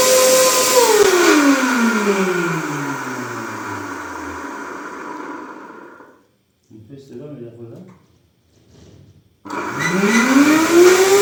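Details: Vacuum cleaner motor whine falls steadily as it winds down, stops, then climbs again on restart; running abnormally, unlike before, with a burnt plastic smell; cause not yet found.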